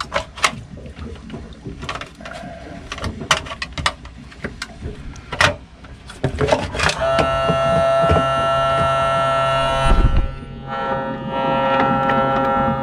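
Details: Sailboat starboard bilge pump after rewiring its power connections: handling clicks, float switch clicking, then a steady electric buzz with a pitched hum and no water sound; pump runs but a blockage is suspected of stopping flow, not confirmed.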